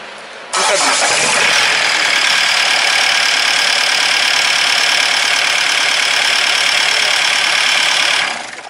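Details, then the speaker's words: Warm diesel at a steady idle: a loud, hard-edged clatter at about four beats a second. The belt/chain was checked and found fine; injection pump timing adjustment is suspected. Harsh engine noise, cause unconfirmed. "هذه فيه صوت مزعج شوية، لازم فما غلطة في الشان."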